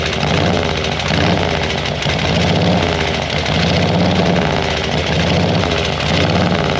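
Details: 1940 Harley-Davidson UL 74" flathead V-twin at idle after an oil feed pump rebuild: a deep, loping, even beat with no knocks or rattles, so the idle sounds normal, though the oil light still stays on at idle.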